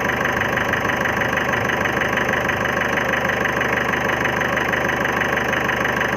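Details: 2011 Ford Figo diesel engine at idle: a sharp, very regular ticking knock over a lumpy, uneven idle, so the engine is knocking and missing. The problem is tied to an injector service; the cause is suspected, not confirmed.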